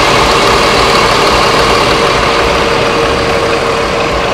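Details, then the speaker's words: Adhi Prima bus on the Palembang–Jakarta trip, rest stop with the engine hatch open, mic at the engine: smooth, steady diesel idle with an even beat and faint constant whine, partly masked by a nearby Sari Harum bus; healthy normal idle. "Suaranya halus banget dong mesinnya. Ketutup suaranya sama suara ini mesinnya Sari Harum. Ini halus banget mesinnya."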